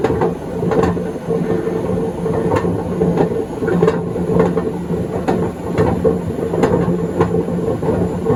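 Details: 2012 Beko WMD261 washing machine at high spin during spin and drain: steady rumbling roar with hum and repeated knocks about once per turn; worn drum bearings.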